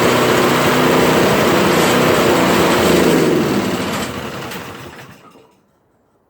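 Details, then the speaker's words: Toro Powerclear 721 RC snow thrower single-cylinder engine after carburettor cleaning, started with three primer pushes and choke: runs at an even steady beat, hardly sputtering, then winds down and stops; much better than before. "you know what it's a lot better than what it was uh it's hardly sputtering i had a couple but uh i think the more i run it and more it's just gonna clean itself"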